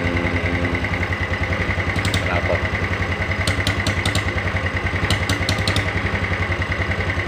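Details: Yamaha Mio Sporty scooter after a rebuild with a 200 oversize piston and worn camshaft and rockers repaired without replacement. Idle is fairly smooth but uneven and lumpy, with faint light internal tapping. The mechanic attributes the slight knock to a slightly worn connecting rod.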